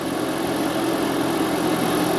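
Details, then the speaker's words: Prius 2012–2016 petrol engine after an engine swap, in maintenance mode: smooth, even idle hum with a steady low drone and no knocks or misses; sounds healthy. "it sounds pretty good"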